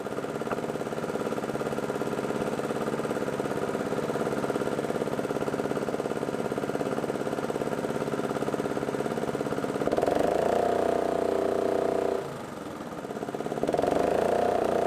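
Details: Roadside-free old gas-powered air compressor, single-cylinder engine, running with no choke after the valve cover was refitted and the air filter cleaned. It holds a steady, even beat, dips briefly under load and picks straight back up; it runs smoothly.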